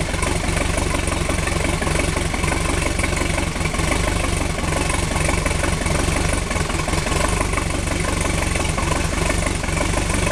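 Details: 1976 MerCruiser 3.0L inboard petrol engine idling unevenly, its low thump wavering and briefly stumbling every few seconds. This persists after a complete tune-up, a rebuilt carburettor, and dwell and timing set.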